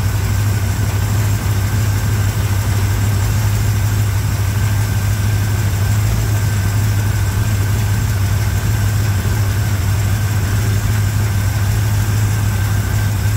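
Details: 1987 Chevrolet K10 4x4 truck, first start after blown head gasket replacement, started without much trouble and now warming up: steady, even low V8 rumble at idle with no knocks, misses or ticks; normal healthy idle.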